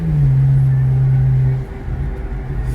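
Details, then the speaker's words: BMW 335i N54 twin-turbo after boost leak repair, on the road: strong steady engine drone under hard acceleration easing as throttle lifts; full boost restored. "you hear it from the owner's mouth you say the car feels different so boost his back guys you hear that"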